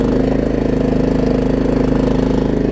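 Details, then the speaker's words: Troy-Bilt Pony riding mower with a Briggs engine, after tightening a loose starter-solenoid connection and fitting a good battery: steady, even single-cylinder idle with no hunting. Normal idle, no surging. "And it doesn't really surge either. Those Briggs intakes are known for surging."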